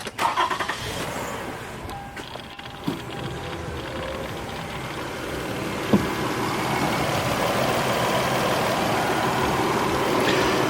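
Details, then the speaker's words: 2005 Toyota Sienna XLE: brief crank catches quickly, then smooth even idle with no ticking or knocking, quiet engine and exhaust; normal start and idle. "as you can hear there's no ticking there's no knocking engine is quiet exhaust is quiet"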